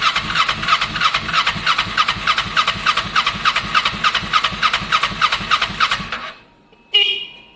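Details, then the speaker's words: Kawasaki ER6n project bike, first start-up attempt on a borrowed new battery with old fuel in the lines: steady starter churn about 3.5 beats a second, never fires, then cuts out. Crank no start; owner thinks he hears spark, cause unconfirmed. "I mean, I'm pretty sure I can hear spark. I better put a bit more fuel in case there's not enough in there. And I'm going to keep turning it over, really."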